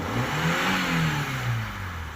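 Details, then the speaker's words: 2006 Vauxhall Meriva with a recently fitted replacement engine, hard to start, then running: an uneven, stumbling note with a lumpy, missing beat as revs sag; badly misfiring, blown head gasket being tested for. "well she's missing missing badly very very badly"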